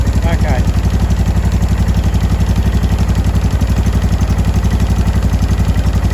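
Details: 2005 Honda Deauville NT650V twin after carburettor refit (vacuum pistons repositioned), warmed about three to four minutes, choke off, idle set low: an even low thump with no popping or backfire. Normal warm idle.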